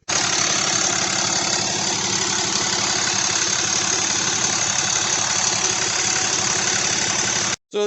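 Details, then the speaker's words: RAM Cummins 6.7 diesel after the DIY CP3 injection pump knock fix, about 60 degrees adjustment: steady fairly smooth idle, much quieter, with only a faint leftover CP3 knock. "it's much much quieter that CP3 knock is just about gone it's slightly there"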